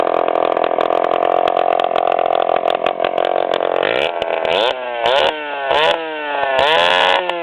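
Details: 1997 Suzuki DS80 two-stroke revving with its exhaust pipe broken off the head: a harsh, raspy, chainsaw-like bark from a major exhaust leak.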